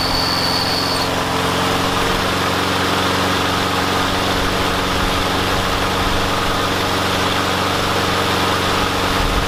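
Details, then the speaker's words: Yard Machines mower with Briggs and Stratton single-cylinder engine, running after carb cleaner and a wire-brushed plug fixed a no-start: steady, even buzz with no surging or sputtering; running smoothly. "and the carb cleaner honestly that works for me about 85% of the time when I come across the mower so I'm glad I tried it one more time"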